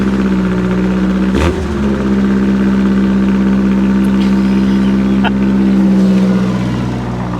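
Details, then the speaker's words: Fuel-injected auction vehicle: a steady, even idle with a smooth low hum and no knocks or misses; it burns a little oil (suspected valve seals or guides from sitting) and shows 15 volts (probably a failed regulator), but runs like a top. "it runs like a top hers like a kitten and it's not dead as a doornail"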